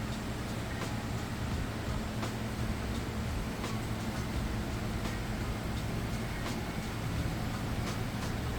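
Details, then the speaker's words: Whirlpool Cabrio HE top-load washer at fastest final spin with drain pump kicking on to extract water: even low rumble with faint regular swish, hardly any vibration, no banging; healthy spin. "see there's hardly any vibration though drain pumps kicking on to help extract the water that it's pulling out of the clothes right now all right spinning at its fastest spin you can see very little vibration"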